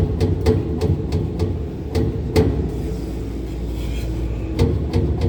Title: kehe ru 10 condenser fans 1 and 3 bad bearing